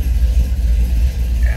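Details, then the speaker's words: 1971 Chevrolet C10 short box V8 idling after a quick start, with a deep, loping low rumble and uneven cam pulse and no knocks or ticks; aftermarket tachometer fitted; normal idle with cam lope. "so easily the stars' it does have a little bit of Rumble to it"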